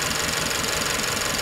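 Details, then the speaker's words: 2017–2018 Holden Astra petrol engine idling unevenly with a lumpy, stumbling misfire that shakes the whole engine and goes away when revved; code P0300, mechanical cause: one cylinder with almost no compression. "now the problem with the car is a misfire kind of like a misfire when it's idling you can see the whole engine is shaking but if you rev it all the misfire goes away"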